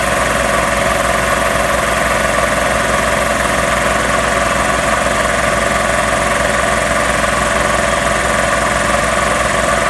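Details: Magna Force air compressor after repairs, building pressure toward a 160 cutoff: fast, steady pumping thump over a constant motor hum, no knocking or grinding; running normally.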